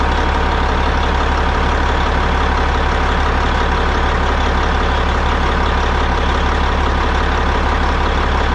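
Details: Caterpillar 3406E diesel in a Peterbilt 379 idling after installing a Borg Warner turbo and FullTilt exhaust manifold. Loud, steady low drone with an even beat, no knocks, misses or whistles: normal idle.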